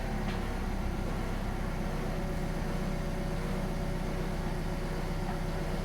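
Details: Kia All New Picanto after replacing the alternator (Mire unit) for a low-charging fault: smooth, even idle hum with a steady low drone and no knocks, ticks or whine. Normal idle.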